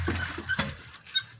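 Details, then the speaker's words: Brake caliper on a VW car rocked by hand under the car gives a few dull metallic clunks, causing suspension knocking despite replaced shocks and control arms: loose caliper from worn caliper bushings needing replacement. "essa aqui ó tem que trocar os embuchamentos dela tá com uma folga tremenda entendeu galera Faz uma barulheira ó aí ó tá vendo"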